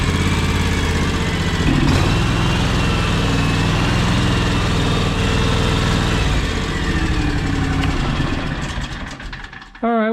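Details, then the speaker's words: 15+ year old, high-hours John Deere X729 lawn tractor before service, warming up for an oil change: lumpy idle about four pulses a second with skips; missing at idle, owner suspects a clogged carburetor. "hear that how it's like missing when it idles i think it's kind of choking the carburetors kind of clogged or something"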